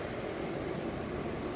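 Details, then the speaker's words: Trane XL18 18 SEER AC condenser, installed around 2001–2002, about 20 years old, with a breaker-tripping complaint; thermostat at 81°F set to 74, so second stage expected. Soft, even fan whoosh and steady hum with no rattles or buzzing; running smoothly. "all right it's running very well"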